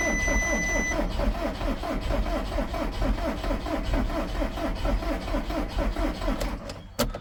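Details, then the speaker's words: 2010 VW Caddy 2.0 SDI in neutral, cranked with the fuel pump fuse pulled to build oil pressure after fresh oil and upgrades before first start. The starter spins evenly with matching compression pulses and no firing; cranking sounds healthy. "Now this engine sounds a lot healthier than the last one, but that's twice now I've done that, so I'm going to let the starter cool a little bit."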